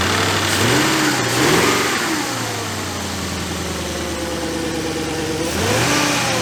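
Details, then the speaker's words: 2004 VW Touareg V8 with codes P0300/P0302, being revved: engine blips up and falls back with a slightly uneven, stumbling beat; misfire believed caused by a faulty ignition coil, cylinder one reported faulty. "we believe we have the problem ignition coil it's most likely that is the problem because now cylinder one was faulty"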